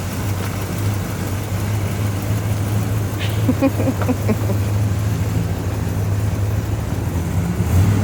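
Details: 1970 Pontiac GTO V8 after engine and transmission rebuild, first test drive: deep steady rumble pulling away in drive, shifts through all three gears and downshifts fine, no knocks or clunks. Normal running.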